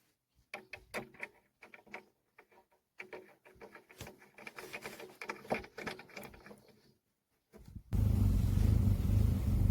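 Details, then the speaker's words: Opel Omega B with 4th-generation propane-butane LPG system that went into emergency mode and would not switch to gas; with the arming valve stem removed, after clicking, engine catches and settles into a steady, even gas idle, pointing to that valve. "Sans la valve d’armement, il a commencé à fonctionner directement . Il s'agit donc de lui."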